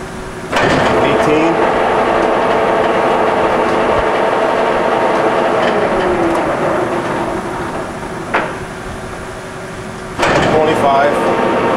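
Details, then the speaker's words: Reconditioned Blanchard 18-36 vertical spindle rotary surface grinder with serviced table gearbox, stepping through chuck speeds of 6 to 33 RPM: steady, even gear hum that changes pitch with each speed, no knocks or grinding. Healthy table drive. "why don't we go through some table speeds so we can uh let everybody hear how that sounds go the slowest six 12."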